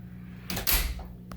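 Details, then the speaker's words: Squeaky house door hinges after pulling the pins and greasing them: the door swings open and closes with a soft thud, no squeak or creak at all. "Open your door once or twice to get that grease moved around. Not a sound."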